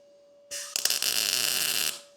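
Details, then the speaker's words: 1929 Ford Roadster rat rod, tacking the steering column mount to the dashboard after turning on the shielding gas that was off: steady, even crackling MIG arc sizzle, now sounding right with some penetration. "That sounds better."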